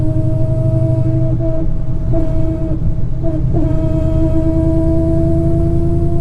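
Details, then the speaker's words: Dodge Challenger Hellcat with a fully built MMX engine and ported supercharger, first drive after rebuild; a steady gear whine over road rumble comes from the differential, not the supercharger; the differential likely needs to be sent back for a rebuild. "probably gonna have to send this differential back to get rebuilt, because that is screaming. That is a lot of gear noise."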